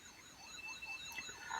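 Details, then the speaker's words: 1983 Pioneer CT-540 cassette deck playing a 3000 Hz test tape after reassembly: the tone swoops up and down in pitch instead of holding constant, with dropouts; severe wow and flutter. "So we have test tape in, that's on, so if we start that, well, that is horrendous. Oh dear, that is terrible."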